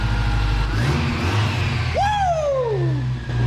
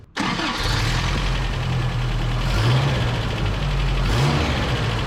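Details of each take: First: Toyota engine after valve lash adjustment (number three cylinder intake was very loose, reset from about 11–12 down to 7; two others adjusted about half a thou): steady even low idle, no top-end tapping, brief background whistle; rattle solved, much quieter. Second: Toyota 22R engine, fast idle at startup with busy tinny chatter; owner doubts valves and agrees with suspected timing chain slap, cause unconfirmed.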